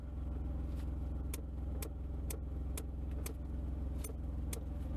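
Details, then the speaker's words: Mercedes diesel (W123/W124/W126 family) after replacing a blade fuse: sharp, dry clicks about twice a second over a steady diesel idle, clicking from the climate control while the heater is on and stopping when it is off; cause not confirmed. "because the problem before was when we started this thing up it would start clicking without pushing a button now when I turn the heater off it stops clicking"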